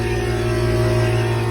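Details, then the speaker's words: Central air conditioner condenser fan in triple-digit heat: steady low electrical buzz with no whoosh of blades; fan motor stalled, spins only when pushed, blowing warm air; failed run capacitor. "i think you can clearly hear the noise kind of that buzzing noise the fun is not turning"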